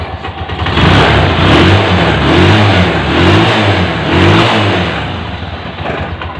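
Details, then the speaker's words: Honda TMX Alpha 125 after repair (parts replaced, part pin-welded) to cure noise and whine in first gear: small single revs up and down smoothly and evenly, no rattle or knock; engine now runs refined. "Yun oh yan Mga Pre ayan na ung andar at pinong-pino na ano"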